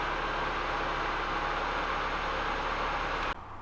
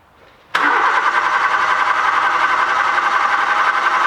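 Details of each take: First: Nissan Micra 1.2i after replacing faulty camshaft position sensor (P0340), clean 0-5 V Hall square waveform: steady, even idle, smooth constant hum, no misses, knocks or stumbles; normal idle, crank-no-start fixed. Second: Nissan Micra 1.2i, code P0340 camshaft position sensor circuit, cam sensor signal back-probed with good power and ground: starter spins engine evenly about seven seconds, never fires; crank no start from faulty camshaft sensor with bad waveform.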